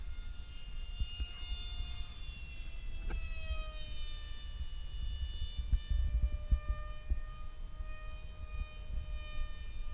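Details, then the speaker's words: Ritewing Crossover 40 wing with repaired E-flite 420 3800kv motor on a 3S battery, in flight at full throttle: clean steady high whine that sags slightly in pitch as the battery tires; normal electric motor whine. "Climbs like a son of a bitch. Woohoo! I gotta throttle down before I bust this battery, though. This is only a 3S. Yeah, you can hear it sagging now."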